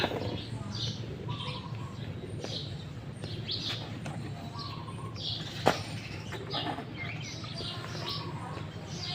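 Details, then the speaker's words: Yamaha Fino 115i scooter that died while riding and won't start: two short bursts of starter cranking that never catch; very low compression, suspected leaking valve needing cylinder head removal. "กำลังอัดน้อยมากนะครับเหมือนว่าไม่เหมือนจะวาล์วยันเดี๋ยวลองเปิดฝาครอบวาล์วเช็คดูนะครับ"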